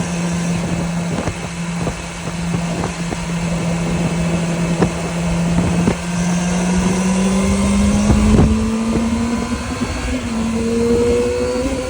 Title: CBR600RR 2005 whirring hissing noise